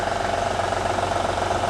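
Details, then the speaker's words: Honda/Acura V6 with over 100,000 miles, cold idle: fast, even light tapping sounding diesel-like, lessening when warm; worn timing belt tensioner tapping rather than valvetrain. "now in a honda if you have anything like over 100 thousand miles on this particular v6 that timing builds on it when it's cold sounds like this and then warm up and that noise go away or lower"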